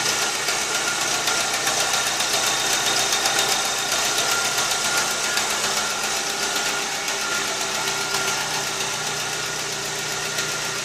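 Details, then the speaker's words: 2001 VW Gol 1.0 8v AT engine, 155,000 km, fully rebuilt three days earlier, cold idle: steady fast ticking about four a second that rises with revs, then later stops; mechanic suspects exhaust manifold gasket. "olha o alguma coisa tá batendo olha t t t t apesar de ser um motor já de 150.000 km rodado eu acho que esse barulho não é normal entendeu não é normal"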